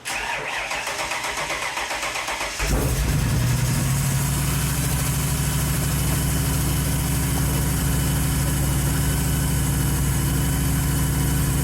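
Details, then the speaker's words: 1931 Ford Model A Coupe hot rod, first run since November after carburetor work: catches at once and settles into a steady even idle; starts easily and runs well. "I have a fantastic automobile right here you can hear how good it runs"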